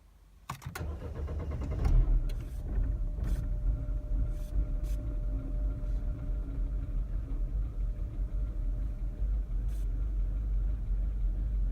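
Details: R56 Mini Cooper cranks and catches, then settles into a low, uneven idle that surges and wavers instead of holding steady: a rough idle.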